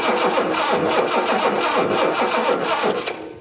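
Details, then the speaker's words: 1976 Datsun 280Z with a fuel-injected engine cranks steadily at about three to four turns a second with no firing and no spark at the tester. The coil holds 8–9 volts while cranking, which is acceptable, so coil power is confirmed. "because if we're trying to crank it and we're actually losing power to the coil the car is never going to start well or at least in our case show us any spark on the spark tester over there"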